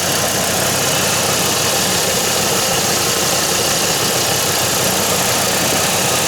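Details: 2007 Chevy Colorado 3.7 L engine after replacing the belt tensioner (Gates 38178) that caused a ringing metal sound: steady, even idle with smooth hum and no ringing or chirp; normal idle.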